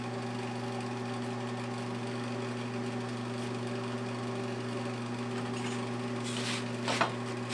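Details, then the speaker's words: 1982 Montgomery Ward Powr Kraft 230 A stick welder after repair, cranked to full current welding 6011 5/32 rod; deep steady mains hum holding firm under load with crisp arc crackle, welding normally. "I don't think it budged. You can feel it. You can definitely hear it trying to pull those things down. She's welding nice."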